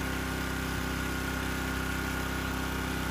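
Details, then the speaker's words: Generator at idle speed with no load, reading 122 volts and 64-65 Hz, tuned higher for a 1500-watt load: even, steady mid-pitched hum with a smooth pulse and no misses or surging; normal no-load idle. "all right i have my generator here at uh idle speed right now so 122 volts 65 hertz 6465 hertz bounces in between there see there's no load on it no watts"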